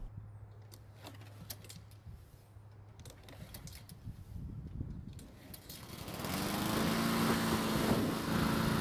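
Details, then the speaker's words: Husqvarna mower restarted hot after running about 5 minutes: rattly pulls, then it fires on the third pull and settles to a steady drone in wind. Hard hot starting; the cause is suspected, not confirmed. "so the good news is that it started back up"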